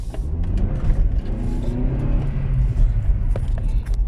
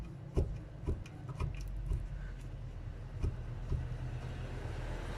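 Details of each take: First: 2000–2006 Honda Civic (EV/EP/EU) after replacing the front ball joints, pulling away in gear: steady low engine and road rumble with no clunks or knocks from the front end; the knock is gone. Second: Roughly 15-year-old 2000–2006 Honda Civic front ball joint, wheel rocked by hand before replacement: sharp irregular clicks and clunks from play in the worn ball joint.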